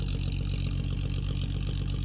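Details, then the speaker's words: 1965 AMC Rambler American 440 idling just after a start in spring: steady idle with a rapid, even puffing tick on each firing pulse from a big crack in the exhaust manifold; repair paste had failed; cherry bomb muffler fitted. "It's actually running really good. You can really hear that exhaust leak. It sucks."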